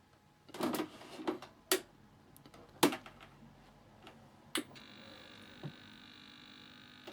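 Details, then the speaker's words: 1982 MB Vectrex console from eBay junk, first power-on test after reassembly: a few handling clicks, then a faint steady high buzz settles in; the buzz is normal and the console works. "and it's buzzing actually works no way"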